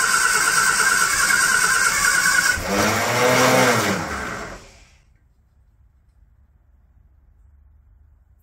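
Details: Barn-find classic Mini pickup-based ice cream van, petrol, first start attempt: starter churns engine about three turns a second for a couple of seconds, never catches; cranks, no start; throttle very sticky.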